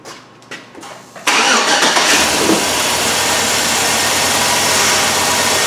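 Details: 2007 Chevrolet Suburban 5.3 V8 with an entire bank-one misfire and faults on all bank-one coil control circuits. With a jumper wire grounding the back-probed circuit, it catches at once and idles smoothly on all eight cylinders; a bad ground (G102) is suspected.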